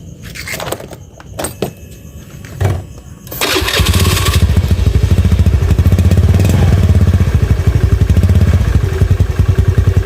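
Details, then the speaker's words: Honda Beat FI scooter after a spark plug replacement, before a manual reset. With no throttle input the idle keeps rising and falling with an uneven, stuttering misfire. The cause is not yet confirmed; the fuel pump and throttle body sensor are still to be checked. "Oke bisa terdengar ya sama teman-teman ya ini gasnya masih naik turun ya gasnya masih naik ya Nah di sini gasnya tidak dipegang ya ini masih naik turun dan masih brebet ya"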